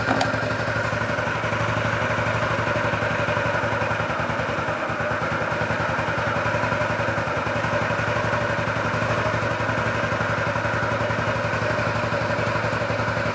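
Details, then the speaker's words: 2003 Honda Metropolitan 2 scooter, previously non-running, after throttle cable adjustment: small engine putters at an even, quick, steady beat; idles smoothly, though throttle returns to idle slower than desired. "Sounds good there. It's just the throttle. It's kind of didn't really return to idle as fast as I'd like."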